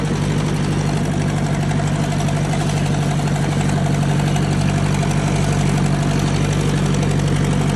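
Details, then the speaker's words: 1956 Ford 800 tractor, new clutch and carburetor, sat outside about a year, driving in second gear of five-speed under light load: low, even drone with steady pulse; runs smooth and quiet, no knocks. "I think we've upgraded for second oh yeah we're good really a quiet old"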